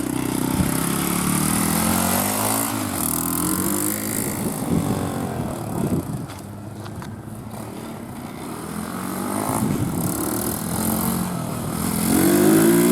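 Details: eBay 125cc 4-stroke 4-speed pit bike engine newly installed in an old Apollo DB18 dirt bike, outdoors: small single pulls smoothly, revs rise and fall with throttle, even beat, no knocks or misses; runs well.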